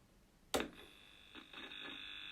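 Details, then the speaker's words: Vectrex console on power-up, before Buzz-off fitment and pot cleaning: switch click then steady thin electrical buzz from the built-in speaker, with crackling and sound cutting out when the volume is turned, a dirty potentiometer. "there's the buzz so you got sound but you can hear as I turn it up and down and hit up crackling"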